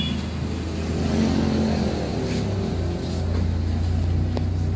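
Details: Honda Wave 100 small motorcycle engine running with uneven, stumbling misfire; carburetor not cleaned for half a year, dirty, partly clogged jets found.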